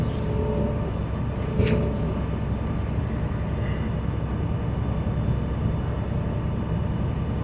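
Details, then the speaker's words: School bus diesel at high idle during the brake check: a steady, deep rumble runs even and unbroken while the air system builds pressure toward 120–140 psi governor cutoff. Normal. "Now, to continue on, we're going to start the bus, and we're going to make sure we're going to build pressure up to 120 to 140, and we're going to listen to the cutoff. Again, my high idle is applied to help it build pressure quicker."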